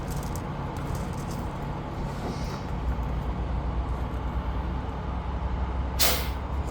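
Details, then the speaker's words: Class 1 truck pre-trip check with the engine idling, glad hands removed and brake applied 3–5 seconds: steady idle with no continuous hiss, only one short puff; no tractor protection valve leak, and it works. "Okay, there is no leaks in the tractor protection valve. Tells me that it's working."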